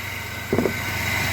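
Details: 1997 Chevy S10 pickup, cold, after fixing shaking/misfire (codes P0102/P0103) at the mass air flow sensor: starts right up, steady even idle, smooth low hum, brief bump, slight cold shake; fan turning slowly, owner suspects fan clutch.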